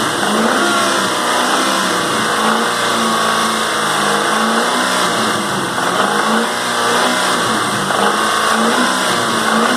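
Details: 2001 Mustang Cobra 4.6 4V V8, 78,600 miles: idling and revving lightly with uneven knocking mixed into engine sound; engine knock under light load.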